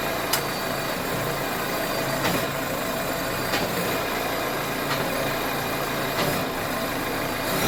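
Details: 2009 Citroën C5 X7 1.6 HDi diesel, idling: sharp single knock about every 1.25 seconds. Owner unsure whether the engine mount silent block is the cause; a crack was noted on the lower mount. Source unconfirmed.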